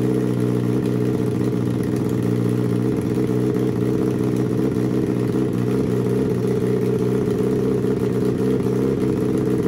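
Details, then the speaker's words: Turbo Suzuki Hayabusa engine on Power Commander/AutoTune, fuel leaned for smoother idle but kept slightly rich at 2000 ft altitude: even, steady idle with a settled low beat, no hunting or stumbling; normal idle. "now you'll see how Mike leans the fuel for a more smooth idle he leaves it a little bit rich but we're at 2000 feet and the motor will be shipped to sea level"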